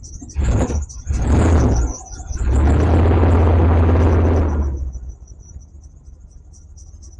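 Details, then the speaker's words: Early OBD1 GM vehicle at idle with a misfire and the service engine soon light on: a thin, high chirping squeak from a worn, slipping serpentine belt that needs replacing. "you can hear just St squeaking from the belt"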